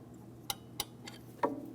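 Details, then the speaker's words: 2003-2008 Toyota Matrix rear drum brake during adjustment after hub bearing replacement: two sharp light clicks then a duller tick as the star-wheel adjuster ratchets; self-adjuster clicking normally. "That's the sound of our adjustment lever doing its job."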